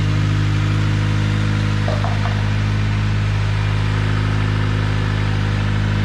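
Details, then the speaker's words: Turbocharged Honda Civic D16Y7 1.6L SOHC non-VTEC inline-four, stock ECU with no tune, 8 lb wastegate spring: first start after the turbo build and oil pan gasket job, settling into a steady, even idle with no knocks or misses. "it's alive it runs good actually it sounds like it's idling okay"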